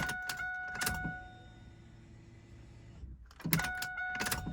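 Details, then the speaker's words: 1998 Pontiac Trans Am LS1 after fuel rail removal and injector cleaning, key-on from inside the car: clicks and a window motor, then a soft steady hum for about two seconds; normal fuel pump prime. "all right so we're going to come into the car grab the keys let's listen for that fuel pump little bit of air"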